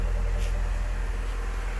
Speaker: oh it sounds so smooth oh my goodness no more clattering I don't even recognize it totally different car